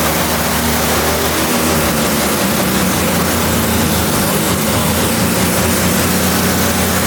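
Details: Kei truck's rebuilt Mazda 13B rotary after blown center-rotor apex seal, in neutral while timing and distributor are being sorted: loud, dense, steady roar with buzzy rotary note, no knocks or misses; normal running.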